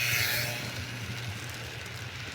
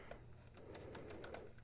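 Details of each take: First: Serviced 1950s Olympic Express HO B&O GP7 diesel, formerly seized motor freed and oiled, wheels cleaned, pulling a train: soft steady motor hum and even wheel rumble, no catches or surges; runs normally. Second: 1950s Olympic Express B&O GP7 HO locomotive on track with voltage applied: steady low electric hum with faint irregular ticks, drawing current but not moving; gearboxes fine, motor seized at bearing, later freed with oil.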